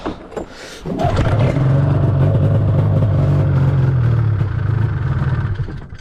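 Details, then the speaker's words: 2005 Arctic Cat F6 two-stroke snowmobile that wouldn't start for about a month; plugs and ignition changed and coils reworked: a few weak cranking stabs, then it catches and runs loud and uneven before fading, a rough start. "Oh. Yeah, video might end here. That didn't sound good. Oh, there we go. She started."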